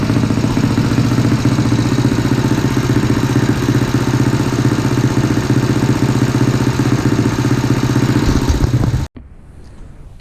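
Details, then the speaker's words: CT70 with 212cc engine, warmed up in a 41°F garage: fast, even mechanical clatter about four per second over steady idle, then shuts off; noisy top end despite valves adjusted many times, cause unknown. "I don't know what it is about the 190s and the 212s, but they're noisy. It just sounds like there's noise coming from the motor. I've adjusted the valves like 12 times."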